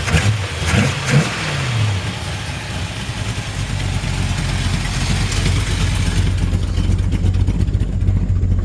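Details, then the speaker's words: 1968 Plymouth Sport Fury V8, dual quad intake, still a little cold: deep, even burble climbing cleanly on each blip and settling smoothly, zero smoke, crisp throttle response; possible minor exhaust leak. "zero smoke really really nice sounding this classic style exhaust looks like sounds like it might have a minor minor exhaust leak as it runs like a top got good throttle response"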